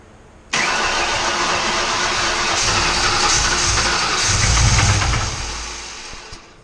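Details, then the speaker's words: Used junkyard 4.6/5.4 SOHC Ford V8 after timing setup fires up and runs rough with a deep rhythmic knock under the exhaust: rod knock, as the bottom end and bearing clearances went unchecked. "So, everything sounds good, but we've got a rod knocking."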